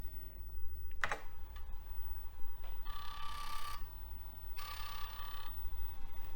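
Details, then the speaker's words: A regular 3.5-inch floppy drive on a TRS-80 Model III, running a test program to move the heads. Light clicks, then short buzzing bursts of rapid stepping over a low hum. The heads are stepping normally, suggesting the original floppy drive is at fault. "don't know if you can hear that, but those heads are moving."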